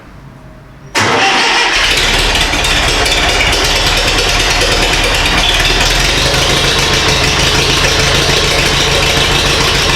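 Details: Mid-1970s International 2510B loader tractor, six-cylinder ~60 hp diesel, cold start after starter repair: short crank, catches within a second, settles into a steady even clatter at idle.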